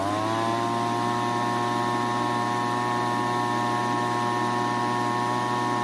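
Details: Leaf blower at spring startup after the carburetor was manually primed: steady, even high-pitched drone holding constant speed without stumbling; runs cleanly, carb likely cleared itself.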